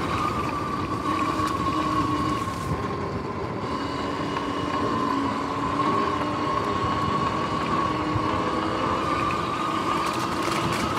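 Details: Sur-Ron X electric bike riding: steady motor whine under a rhythmic clicking that follows road speed; the chain had locked-up spots and the 14T front sprocket was worn to shark fins, so the chain and sprockets need replacing.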